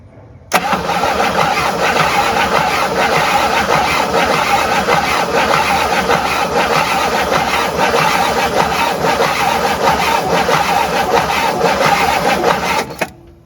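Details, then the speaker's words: Abandoned 1958 Super engine cranking steadily about twelve seconds without firing: no spark despite a replaced in-spec coil and filed points; points and condenser to be replaced next. "i filed the points we'll see if that helps if not i'll swap them out i'm just not getting any juice"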